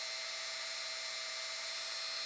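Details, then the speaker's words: Brand-new, never-run Professional Woodworker rotary tool (generic Dremel) at the lowest speed setting, 1: a thin motor whine that hesitates, speeds up on its own and rises in pitch the longer it runs. Cause unclear; owner wonders if it is first use. "You can hear how it's getting a little bit higher pitched the longer it's on."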